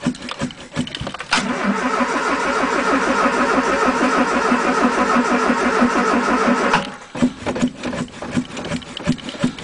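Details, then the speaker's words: 1980 Triumph Spitfire 1500 with a Weber two-barrel, freezing-cold start with the throttle pumped first: slow, labored cranking on a weakening battery catches and runs unevenly, then goes back to cranking; hard cold start needing long cranking. "sounds like the battery's gonna give up well a couple more cranks baby"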